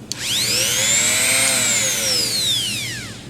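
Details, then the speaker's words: Rotary tool used to modify an aluminium microscope-stand ring: high whine rising and falling with speed, fluttering at top revs; not the collet, the mandrel is bent and doesn't spin true, causing vibration. "that was vibration foreign [Music] not the collet this piece doesn't spin true"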